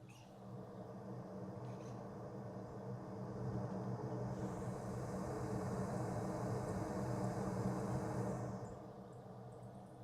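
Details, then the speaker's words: Radon fan exhaust heard from near the roof edge with a noise suppressor fitted in a mock-up: soft steady low hum that swells slightly then settles; far quieter than without the suppressor, barely audible. "So quite a bit quieter, and when I'm coming up on the edge of the roof, I can hear the system without the noise suppressor, and with the noise suppressor, I can just barely hear it."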